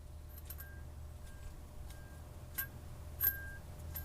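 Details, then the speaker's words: Removed bad turbo spun by hand: light metallic jingles and faint whines from worn bearings; no shaft play, but it had bad seals and was shooting a lot of oil, needing rebuild or replacement. "Yeah, you can hear the bearings jingling in there. It's no play, but it was shooting a lot of oil out of there."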